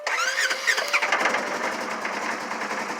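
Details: Polaris ATV with a slight miss and a weak battery reading 12.6 V, after its instrument cluster was replaced: the starter whirrs, the engine catches and settles into a quick, fairly even idle with no knocking or grinding.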